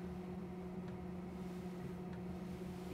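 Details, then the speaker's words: Planar/Autoterm 2D 12V diesel air heater installed in camper underfloor box, running on low, microphone moved close: faint steady low hum with light fuel pump ticking; normal quiet running on low. "well I've got the heater running on low you can barely hear it let me move the microphone very quiet so this is what it sounds like"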